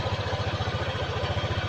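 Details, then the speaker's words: 2018 Honda PCX scooter at 1,000 km, after its first service and oil change: a fast, even chuffing beat at idle with a coarse, gravelly edge; the engine still sounds rough, not very smooth. "Suaranya masih kasar, nggak terlalu halus masih."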